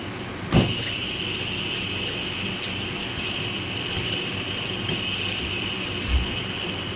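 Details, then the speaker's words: 2015 Nissan Almera with under 100, removed alternator checked after belts ruled out, noise unchanged with aircon on or off: thin, steady high-pitched whine; alternator inner bearing worn out, needs replacing, cannot be greased. "ba merong matinis na tunog na-create yung bearing ibig sabihin worn out na yung bearing niya yung inner bearing niya yan kaya nag-create na siya ng matinis na tunog"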